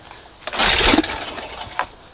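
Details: 1971 Johnson 20 hp outboard after crankshaft seal test, choke on; one sharp cord pull spins it with a brief whirring rattle but it won't fire; owner suspects the closed choke butterfly fluttering open during pulls; hard starting.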